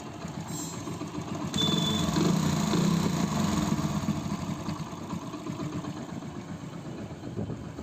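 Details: Hero Passion Pro single-cylinder after repair replacing broken strip, pad, roller and timing chain to cure excessive engine noise: even, steady putter at idle with no top-end rattle or clatter; normal idle.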